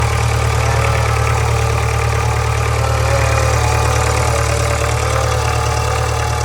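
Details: 2013 Subaru 2.0 Boxer at idle: steady low hum with a regular knock about three times a second; knock and hum from the engine, origin unknown.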